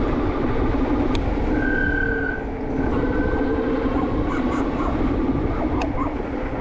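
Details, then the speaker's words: HyperScrambler 2 after applying Squeeealll Out anti-squeal paste, which quieted the rear but not the front. Over road and wind noise, a thin high squeal comes and goes as the rear brake starts squealing again. Brake squeal. "it worked on the back but not the front so I don't know what to say it worked or not [Music] oh God now the backs are going again oh God"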